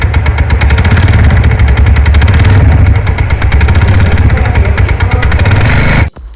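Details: TVS NTORQ scooter engine: it idles steadily with a fast, even ticking rattle on top. Abnormal noise comes from a loose one-way clutch nut.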